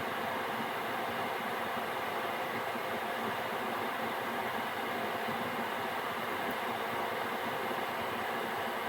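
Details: Gearlasso 8kW 12V/24V Chinese diesel heater switched off via app after manual-mode run, in CLP residual-oil burn-off cool-down: only a steady even fan whoosh, burner and pump silent, for a couple of minutes before standby; normal cool-down fan run.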